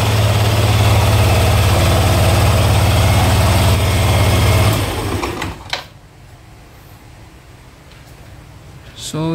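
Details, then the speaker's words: Yamaha NMAX V1 scooter after starter motor carbon brush replacement, rag over exhaust indoors: even, regular idle running cleanly before switch-off; now starts in one click where it previously struggled. "yun mga boss, one click na lang siya mga boss."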